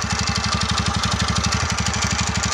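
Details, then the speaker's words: TVS Ntorq 125cc BS6 scooter, now older, idling; fast, hard popping exhaust beat about a dozen pulses a second, loud and rough; owner blames the silencer, which goes like this when old; unconfirmed. "কিন্তু এইখনৰ এটাই বেমাৰ চাইলেঞ্চাৰটো যেতিয়া পুৰণা হ'ব সেনেকুৱা হৈ যায় আৱাজটো"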